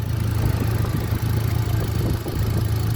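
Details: 2018 Hyundai Accent gasoline engine, a cranking no-start fixed by swapping relays in the fuse box: low, steady idle hum with the cooling fan whirring on top; even beat, no knocks or misses, normal healthy idle.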